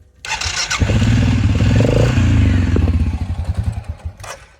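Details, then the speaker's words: Suzuki King Quad 750, warm from blading a driveway, radiator fan running: lumpy uneven low beat that falters and fades; it dies off throttle and won't restart until fully cooled; hard starting when hot. "Uh, it's fairly warm. Um, and if I were to let off the gas at all, it would die and I go to start it back up again and and it'll have a hard time starting"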